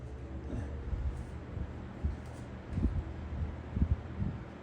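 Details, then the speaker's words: Lasko Ultra Force box fan on low speed, drawing 1.1 amps, 100 watts, 0.71 power factor: soft steady low whoosh, no rattle, scrape or ticking; normal low-speed running. "So it sounds like your typical Lasko."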